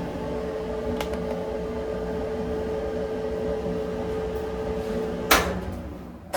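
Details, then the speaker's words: Maytag electric dryer after removing the cause of its thumping noise; drum tumbles with smooth quiet hum, no thumping or scraping, repaired and healthy. "Oh, yeah. That's what I'm talking about. Smooth as silk. Listen to that. She's a runner, guys."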